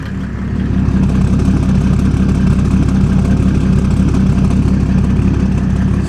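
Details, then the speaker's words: Mercedes OM606 diesel with turbo in a Land Rover build, first start, mic near an open exhaust: loud, even diesel chatter with deep steady pulses, no misses or knocks; healthy, quick-revving idle. "That sounds good. That does sound good. That sounds good."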